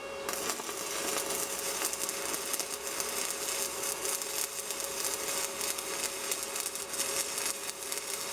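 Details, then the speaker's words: Steady, even crackle and hiss with no pops from a budget Sepaspe Arc 200 stick welder laying a root pass on plate; smooth, stable stick arc. "I tell you what, this thing welds stick as good as any stick machine I've ever had."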